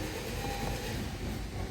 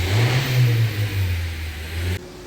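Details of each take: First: Honda Civic (2015-2021) cranking: steady fast churning of the starter, engine turning over evenly but never firing; crank no start because ignition coils had no power from a blown fuse. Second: Honda Civic (2015–2021) after fixing a crank-but-no-start: engine revs up cleanly and pulls smoothly with no knocks or misses, then shuts off; normal running.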